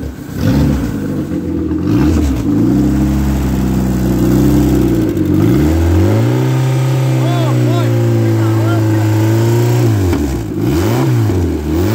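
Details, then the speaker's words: Ex-race Neon four-cylinder on a floor test stand, warming up: revs climb and fall cleanly with a smooth steady note, no knocks or ticks; no coolant bubbles, compression 180/180/175/180 psi, great oil pressure, healthy short block. "that is good that's a good healthy short block and it's got great oil pressure this is a nice little engine"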